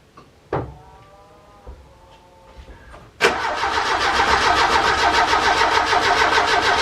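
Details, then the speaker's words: Ford Capri Calypso cranked after 14 years of storage, with no fuel drawn into the carburetor or filter yet: a few faint clicks, then laboured cranking at about three turns a second without firing as the battery runs down. "You can hear the batteries already start to go."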